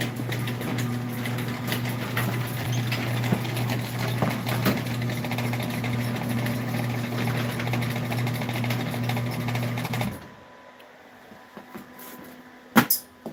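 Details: Sears garage door opener newly installed, first test run: steady low drone with a faint rattle for about ten seconds until the door stops; unidentified running noise, down limit possibly needing adjustment.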